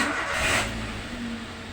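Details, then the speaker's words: Toyota New Avanza that suddenly wouldn't crank despite normal battery, starter, fuses and relay: with the ignition switch wired directly to the starter cable, a brief starter whir catches within half a second and settles into a steady idle. "jadi pada saat kita langsungkan kabel standarnya Dia langsung mau starter karena yang dari kunci kontak ini langsung jumpa ke starter"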